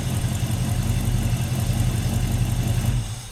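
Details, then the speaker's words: 1982 Ford Mustang GT Foxbody V8, first start after full revival with all-new parts: deep, even burble holding a steady beat with no knocks or misses, good pressure, before shutdown; normal idle. "all right listen to that we got a lot of pressure idling great"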